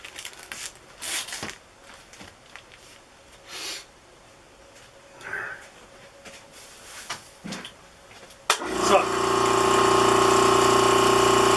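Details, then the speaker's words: Vacuum bagging a composite motor tube sealed with bagging tape onto a cardboard tube: the pump drones steadily with a faint hiss but doesn't pull down, so the bag is leaking; cardboard possibly not airtight. "that doesn't sound good at all can you hear oh i know there's a big leak right there there's a leak right there"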